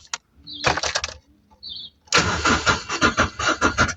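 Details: 2017 vehicle with crank no-start: starter cranks in quick uneven bursts with pauses between tries, engine never catches or fires.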